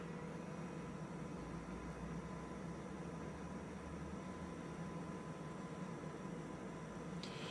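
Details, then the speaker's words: Fresh Ventilation inline centrifugal fan turned down to about 50% speed, giving around 300 m³/h and only just audible nearby; soft, even air rush over a faint low hum, no rattle or ticking. Normal running. "So, there it's running at about 50% speed currently. You can only just hear it when you're standing next to it. Be a lot quieter again installed."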